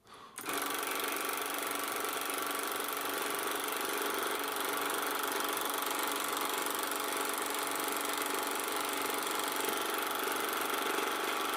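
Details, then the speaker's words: Canon Scoopic 16M 16mm camera after repair, running film near the end of the spool and possibly drifting about 0.8 fps; high whir with fast, slightly uneven chatter as the motor labours; owner suspects something still needs lubricating. "It sounds to me like there's something still needing lubricated somewhere, but it seems to be maintaining the frame rate not too bad."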